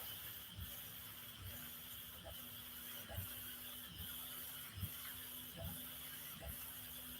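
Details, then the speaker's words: Prusa MMU2 printer: regular ticking grinding over faint motor whine as filament is shoved into the extruder gears. A slicer setting is suspected; extra loading distance was changed from -13 to 0 but it still grinds. "you guys hear that little grinding noise when it when it shoves the filament through into the extruder gears and that is one of those settings that I think was in slicer and I don't know if it picked it up"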